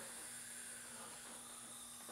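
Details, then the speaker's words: Honda CB500/CB550 engine, number two cylinder, cold dry leak-down test at top dead centre after low compression results; faint steady hiss heard at the exhaust, gauge drops from 22 to 12 (about 45% leakage); exhaust valve leak. "See, I put my finger in the exhaust and you can just hear it. So, we have an exhaust valve leak."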